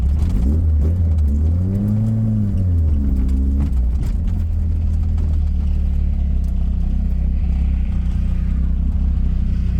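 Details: 1984 Dodge Omni GLH after fuel work for lean knock, timing set as low as it will start: engine revs up cleanly under acceleration then settles to a steady drone; no pinging or knock heard.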